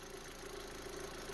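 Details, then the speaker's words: Toyota Supra Mark IV, first start in two to three months after new transmission, clutch, flywheel, coolant piping and axles: quiet, even idle with the typical light steady tick; no vacuum leak audible despite a leaking combi valve; normal. "but the car sounds like a mark iv ticky and all uh no vacuum leaks believe it or not uh this thing fired right up it's impressive"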